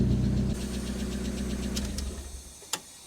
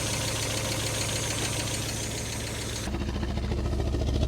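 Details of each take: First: Fire-damaged Mk1 Mazda MX-5, previously dead on cylinders 1 and 4 after a harness change, now idling with a replacement ECU and immobiliser: smooth, even low idle, no stumble, then switched off; healthy. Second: Fire-damaged Mk1 Mazda MX-5 after new spark plugs: uneven, lumpy idle with a regular stumble about three times a second; still misfiring on cylinders 1 and 4, later traced to a faulty ECU.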